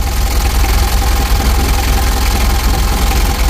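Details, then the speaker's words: Rebuilt Mitsubishi L300 diesel (2000) warming up: even, steady idle with soft low chatter, no dry clatter, smoother than before though cranking a bit long; normal diesel idle. "sudah jauh beda suaranya ketimbang awalnya ya Kalau awalnya itu kering suaranya"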